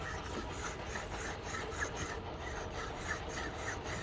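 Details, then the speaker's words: Toyota Alphard/Vellfire 20-series old alternator, removed and turned by hand: a dry raspy grinding rises and falls about three times a second; inner bearings suspected dry and worn, so it was replaced. "i'm not sure if you can hear but there's some grinding sound coming from it it does sound like the inner bearings are yep dry and this is not good anymore"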